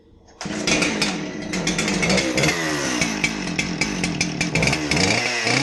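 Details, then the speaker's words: Husqvarna 372 XPG chainsaw, customer thought the engine seized and cord wouldn't pull; after cleaning, it starts right up, crisp two-stroke buzz revving cleanly up and down, oils well; chain had likely popped off the rim drive during install, normal running. "I mean that thing started right up it oils really well"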